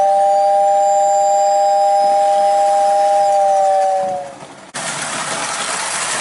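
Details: Prewar Lionel 48W whistling station tested with the roof on: steady two-note whistle holds clean and even for about four seconds, then fades; whistle sounds healthy and normal.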